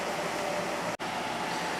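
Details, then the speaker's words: Window AC units running side by side: 2021 LG 8,000 BTU (LG compressor, Broad Ocean fan motor) and 2014 GE 8,100 BTU (Gree compressor, KB fan motor); compressor restarted, both running with a steady even hum and fan rush, no rattles; normal running. "compressor started back up on this one too there so they're both running again"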